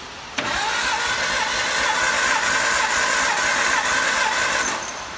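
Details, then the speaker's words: 1954 MG TF four-cylinder, cold engine, cranking for a compression test with the gauge on cylinder one: steady starter churn at about three and a half beats a second, no stumbles; cranking sounds even. "plug in to cylinder number one and crank it over and find out what kind of compression head have a hundred and 507 pounds compression cold"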